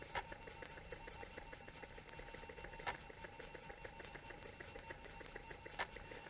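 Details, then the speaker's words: Atari disk drive booting Zork, with the computer's loading beeps also heard; soft steady motor whir with light rapid ticking and a few sharper clicks as the heads step. Normal floppy drive operation. "well we're gonna let it run so you can't hear very well but you can hear the disk drive running you can hear the heads moving on the disk drive and shortly zork's gonna boot"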